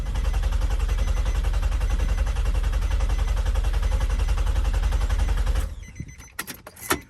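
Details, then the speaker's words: Nissan Maxima with a 4.1L stroker engine, JWT cams, ported heads and a Holley Hi-Ram, cranked for the first time with the fuel pump and injector fuses pulled: an even, rapid chug for over five seconds with no catch or clunk; a healthy crank without firing. "Fuel injector switch has been turned off, so hopefully it'll just crank. It's cranking. It sounds pretty good, actually."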